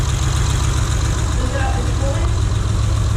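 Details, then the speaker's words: 2005 Acura TL 3.2L V6 at idle after a shop-installed timing belt and water pump following a broken belt: lumpy idle with deep irregular stumble about twice a second, a dead cylinder; cylinder 4 misfire code. "yeah it does sound bad all right so all right so you heard it it's definitely got a dead mess"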